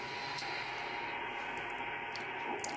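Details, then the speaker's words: Ham radio receiver on 80 meters with a snap-on toroid choke wrapped seven turns around a 3D printer's USB cable: only a soft, even hiss with no buzzing or whine; interference almost completely eliminated. "alright getting ready to plug it in right here you can barely hear it"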